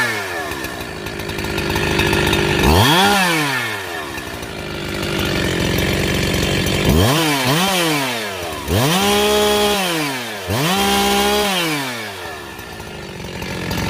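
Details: Husqvarna 372XP chainsaw after rebuild: revs cleanly from idle to a crisp, steady high pitch under cut and drops back smoothly each time; engine runs healthy.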